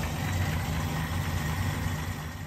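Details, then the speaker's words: Holden HJ wagon V8 running after sitting eight years in a shed: deep, even idle with steady low beat, no knocks or ticks, after fixing linkage and a stripped distributor gear; timing improved, fuel pump not leaking, starts quicker than ever. "running right but pretty good for sitting for how long it did yep had a bit of a play around with it this morning and she's uh banging like a champ"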